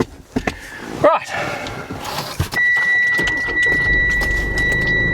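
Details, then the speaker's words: Daily-driver car after service work on injectors that were flowing 20% low on all four, plus new hubs: a few clicks, then it catches promptly into a smooth, even idle with no stumble; it starts beautifully. "Starts beautifully."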